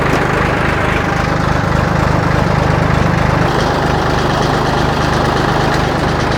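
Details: Old John Deere 820 three-cylinder diesel tractor idling in neutral just after starting: steady, even clatter at about three and a half pulses a second; a healthy idle from a tractor that has always started.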